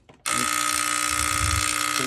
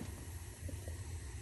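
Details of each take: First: New Yorker steam boiler: harsh steady electrical buzz from the gas valve solenoid once it closes, with 24 V measured at the valve. Bad solenoid, fixed by replacing with a new OEM gas valve. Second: New Yorker boiler after replacing the gas valve whose weak 24 V solenoid buzzed and chattered; steady soft low flame roar with no buzz or chatter — burner firing cleanly, valve quiet.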